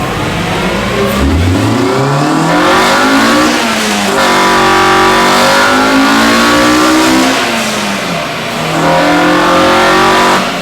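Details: Honda EM1 all-motor build during tuning, currently stuck at 158 on unknown fuel: repeated full-throttle pulls with pitch climbing, then hardening into a sharper howl as VTEC engages. Normal, clean VTEC engagement.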